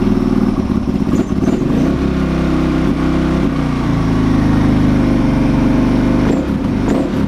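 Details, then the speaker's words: KTM 525 converted to supermoto, engine rebuilt from scratch with internal upgrades, not yet run on the road: big single chugs unevenly after starting, stumbling and surging; lumpy running after the rebuild, cause unconfirmed. "it hasn't been run yet actually on the road so the engine's a bit bit lumpy at the moment after it's been rebuilt"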